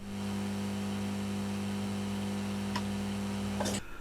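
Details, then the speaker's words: Grundig Trento radiogram, powered on gramophone with volume turned down, camera mic moved close: steady low mains hum until the set is cut off, attributed to failing filter capacitors; a 33 µF capacitor is then clipped in parallel as a boost. "I'll turn the volume down. It's already down. And I can hear the hum. It's not bad."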